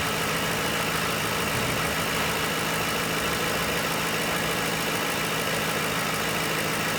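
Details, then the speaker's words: 2006 Ford Crown Victoria ex-police 4.6L V8 with 4R75E transmission, 106,975 miles: steady even idle with smooth low rumble, no knocks or misses; normal idle, engine runs well. "Engine runs great, no issues."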